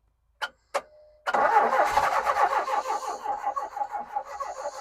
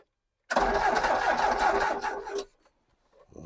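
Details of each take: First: Ex-British Army Bedford CF Ferguson 4x4, 7000 miles, parked for years, started on a freezing cold day: a couple of clicks, about three seconds of rhythmic cranking, then it catches and settles into a steady run. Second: Ex-British army Bedford CF2 Ferguson 4x4, 7000 miles, parked for years, freezing cold day: about two seconds of starter churning with no firing and no catch; turns over but no fuel delivered, battery possibly weak.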